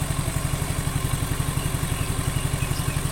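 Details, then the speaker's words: Suzuki Nex II scooter, warmed over 30 minutes after replacing the left camshaft bearing that caused a rough noise: even, quick putter with steady pulses, no suspicious sounds from engine or CVT; smooth, stable normal idle. "ini sudah saya Panaskan beberapa menit ya ndak hampir 30 menit lebih dari 30 menit juara masih stabil langsam tidak ada suara-suara yang mencurigakan entah itu di bagian mesin Tengah CVT intinya halus seperti standarnya normalnya suaranya seperti ini untuk Suzuki Nex 2"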